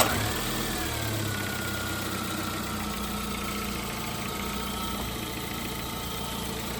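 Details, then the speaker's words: Chevrolet Spark petrol engine idle after repair. It had a persistent tak-tak detonation/knocking noise following earlier overheating work; now a smooth, even hum with no knock, and the detonation noise is gone. "तो दोस्तों खत्म हो गई ना दोस्तों ये सुन रहे हैं ना अपन स्पार्क की जो अपनी आवाज है बिल्कुल वापस आ गई दोस्तों"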